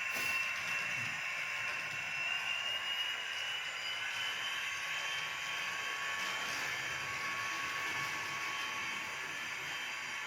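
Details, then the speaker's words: Athearn DD40 model locomotive, dual motors, DCC sound, plastic driveshafts removed: steady thin high-pitched whir throughout the pass, no knocking; gear whine heard as it goes through the curves. "you can really you can hear the gears woring when it goes to the corners and um it's not bad"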